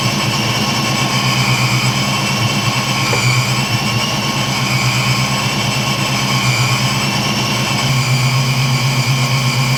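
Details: 1986-93 Mustang V8 idling after AFM-Vortech V3 Si supercharger install: deep, slightly lumpy steady idle with faint whine on top, no knocks or misfires; healthy.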